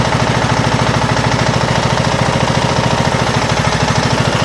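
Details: 2007 Craftsman LTS 2000 riding mower, original neglected engine running rough off choke with almost seized throttle, smoky: uneven loping single-cylinder chuff with suspected bottom-end knocking; head gasket or piston rings suspected, engine later swapped.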